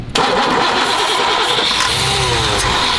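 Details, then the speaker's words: 3rd-gen Chevrolet Camaro that broke down: cranks, then catches at once on a quick spray of starting fluid and runs roughly; fuel starvation. "It's all fuel, 100% fuel. We haven't even had that happen, and that was immediately it started to crank with just a quick spray into it. It's fuel."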